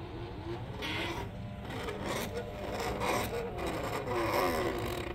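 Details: 3D-printed PLA worm gear driven by a stepper motor, Arduino and A4988 driver, first prototype: slow uneven rasping and creaking over faint motor drone; noisy scraping mesh from print weaknesses and tolerance issues.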